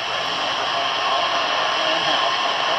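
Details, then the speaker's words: General Electric C-403A tube radio under repair, detector stage, volume up after removing a clip lead across a resistor: constant hiss and crackle with no clear program over it, a station swamped by static from poor AM reception. "you got some bad reception here tonight by the way"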